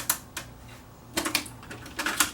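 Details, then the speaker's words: Pioneer CT-WM60 six-cassette auto-reverse changer, circa 1992, first power-up before repair: sharp, irregular mechanical clicks in short bursts; the deck fails to go into reverse play and then won't play at all. "that sounds like the site working ah it's not going into reverse no reverse play and now no plate"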